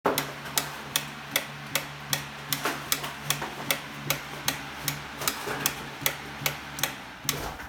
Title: G4RCE FAN CLICKING SOUND ISSUE .